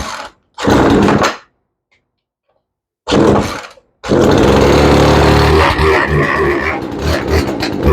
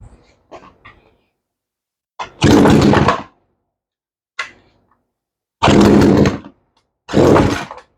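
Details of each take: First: Craftsman chainsaw that wouldn't start, started on full choke: catches after two bursts, then runs rough and bogs down; carburetor needs tuning. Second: 18-inch Craftsman chainsaw that would not start, now running after a spline-tool carburetor adjustment of the high side only, with an already good idle; sharp, clean second-long revs dropping back between bursts, picking up crisply and healthy.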